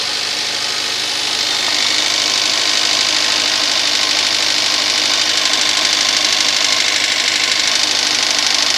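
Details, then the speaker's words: VAZ 2110 8-valve engine, fully cold at start: fast sharp metallic clatter about three beats a second at idle, fading as idle drops to 1000 rpm but audible on revving, gone when hot; knock of unknown cause. "Так, проблема заключается в следующем. Короче, двигатель совершенно холодный. И вот такой треск."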